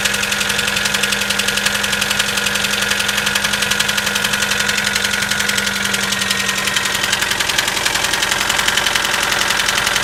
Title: Стук на холодную 4g94